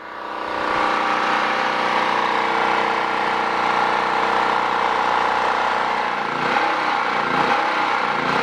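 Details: Generator with a replacement Champion carburetor, run 5–6 minutes on half choke: steady buzz, then speed hunts and wavers once the choke is pulled wide open; the carburetor adjustment does nothing.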